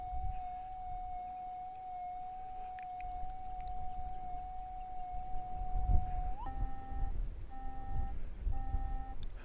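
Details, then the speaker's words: Minelab GPZ 7000 gold detector at startup, auto noise cancel stepping through settings for electromagnetic interference. A steady high tone, then short repeating two-note beeps; normal tune before ground tracking. "Now the machine itself is going through a whole bunch of different settings so that it can best adjust to the EMI, electrical magnetic interference. And once it finds the best spot, it's going to be done, and I'll be ready to set up the machine to hunt."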